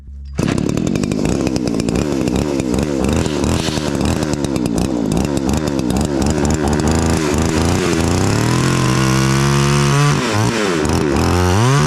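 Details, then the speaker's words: Roughly 40cc two-stroke chainsaw on vodka, no oil, after carb clean: screams at high revs and pulls down smoothly into the tree cut, recovering cleanly each time. Normal running under load; chain later seized. "it runs really well what do you know she cut the saw actually did pretty good for running on vodka"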